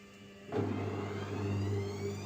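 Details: Gorenje washing machine at 400 rpm spin: steady low hum with rough roaring rumble through the spin; bad drum bearings.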